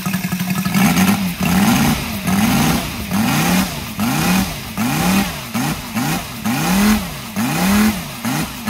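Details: Brand-new Saito FG-73 five-cylinder radial, fully upgraded with Morris Mini Motors hardware and exhaust ring, on a Biela 20x10 four-blade prop (600–5500 rpm): drone swelling and falling in repeated throttle surges, running evenly without misses or knocks; normal, healthy running.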